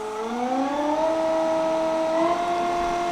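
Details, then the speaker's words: Nova Voyager DVR 58000 drill press spindle at about 2600 RPM, during a speed sweep: smooth steady whir rising and settling at a constant pitch, louder as speed increases; healthy motor. "2600 RPM I'm speaking maybe a little bit louder to compensate from the noise of this and once we start getting a lot faster it's going to get a little bit louder"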